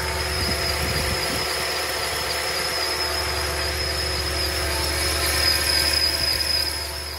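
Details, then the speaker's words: 2014 Toyota Tundra 5.7L V8 at idle: steady high-pitched squeal, first suspected from the belt or a bearing; fixed by replacing the drive belt tensioner and drive belt. "i don't know if you guys can hear that it's a squealing noise it sounds like from the belt or let's get it it's gonna sounds like from the belt or um a bearing or"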